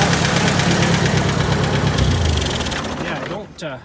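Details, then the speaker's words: Rough idle with a steady tapping about three times a second, no blue smoke; the owner guesses it may be valve-related, cause unconfirmed. Tapping noise at idle. "i'm just a bit curious about that banging noise well it's more like a tapping noise"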